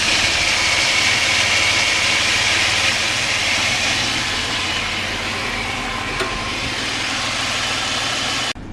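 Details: Mitsubishi warm restart after fixing fuel pressure loss that caused long cranks and rough idle: a steady, even idle with a faint, high alternator squeak fading away. A little fuel-system pressure loss remains.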